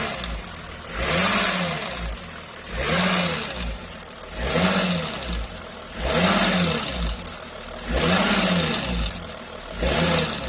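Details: Mercedes OM642 350 CDI diesel: a metallic rattle swelling and fading about every 1.5 seconds, spread along the right side near the high-pressure pump; it stops when the pump's pressure regulator solenoid is unplugged, and a new solenoid didn't help; pump or injectors suspected.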